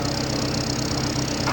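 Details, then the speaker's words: 2004 Honda Civic idling evenly with no misfire after a cylinder head job. The earlier misfire came from leaking, badly seated valves. "नहीं कोई मिर नहीं आ रहा ना पहले इतनी देर में यह तीन चार बार मिस फायर करी गाड़ी"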